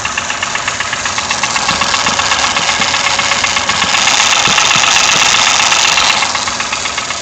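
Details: Toyota 1KR-FE engine with new timing chain, tensioner and guide: crisp regular tapping about four per second over a steady idle, rising slightly with revs; mechanical knock, cause unknown.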